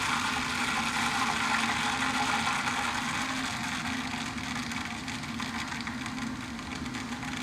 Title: The grinding noise I heard and I thought it was a recalled flushmate